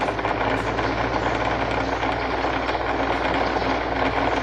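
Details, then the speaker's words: Electric fan running with steady hum and continuous gritty rattling rub: excessive end play on the motor shaft lets the blade hub rub; fixed by replacing the fan shaft. "แกนพัดลมมีระยะฟรีที่มากเกินไปทำให้เวลาที่เราเปิดใช้งานนะครับจะมีเสียงดังรบกวนอย่างนี้นะครับนี่"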